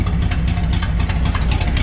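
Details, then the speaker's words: 1984 Chevrolet K20 three-quarter-ton 4WD squarebody farm truck with a V8 on straight pipes, first start after sitting in a shed for years: loud, deep, lumpy unmuffled idle with sharp exhaust pulses; clutch reportedly smoked. "chevy's just that easy just have glass backs or straight pipe"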